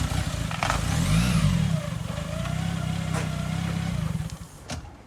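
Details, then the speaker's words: Newly bought used car idling: low, unsteady pulsing beat that sags and fades near the end, as if about to stall; owner says it had run better at purchase; rough idle. "i gotta fix that sounds like it wants to stall it's yeah"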